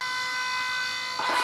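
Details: Electric oil scavenge pump for a rear-mount turbo oil return on a RAM 1500, demo; steady high whine running dry, then a gurgling wash once a little oil is added, with no foaming. Normal operation.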